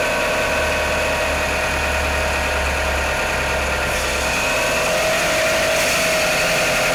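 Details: Mitsubishi Outlander with a 4G63 petrol engine at cold idle. A steady fast ticking knock over the running note, about three per second; knocking on cold start.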